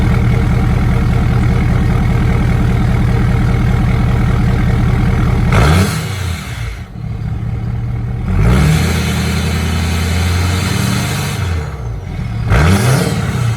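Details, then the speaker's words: 2017 Ford Powerstroke diesel pickup after fuel filter and water separator change with SPE billet drain: even idle then three short blips rising and falling cleanly with no stumble or hesitation; engine healthy. "give it a little couple little rushes to make sure everything's good and yeah that should be"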